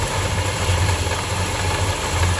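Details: 1968 Dodge Charger 383 big-block V8 idling with a lumpy, uneven low thump and loping beat, after carb idle circuit cleaning did nothing and vacuum gauge reading looked bad; rough idle, cause not yet pinned down.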